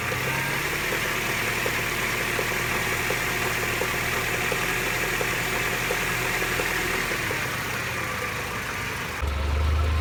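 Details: Mercedes SLK 230 (R170), strange noise only when engine is hot: faint, uneven ticking about four per second over the hum at hot idle; fuel use, acceleration, smoke normal; water pump, thermostat, belts, engine/transmission mounts and oil recently replaced.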